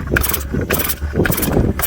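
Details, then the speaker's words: Chainsaw on Cam 2 racing fuel, fuel run out for storage: repeated rasping rope pulls in bursts, engine never catches; hard starting because carburetor is dry after storage. "After you leave and set, you're supposed to run all the fuel out. Then it's hell getting the fuel back in it to get it started."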